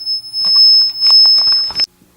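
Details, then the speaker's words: Shadow (beam) detector set up with a green laser keeps beeping, a steady high-pitched tone, and shows no blue light; waving an arm through the beam triggers nothing, so it is sounding without registering the light. "it's not working at all it just keeps going off nothing nothing happens when i wave my arm in front of it"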